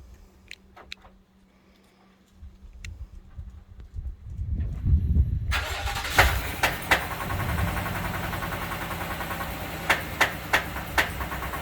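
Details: Engine cranks, catches and idles with sharp irregular pops every second or so over the idle; popping noise, cause not identified.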